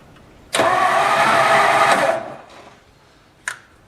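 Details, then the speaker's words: 1954 Ford Skyliner with freshly rebuilt carburetor, fuel bowl primed, solenoid just replaced: harsh starter grind under two seconds then stops dead without firing; sluggish crank, no start, owner suspects the starter is failing. "Yeah, we're losing the starter."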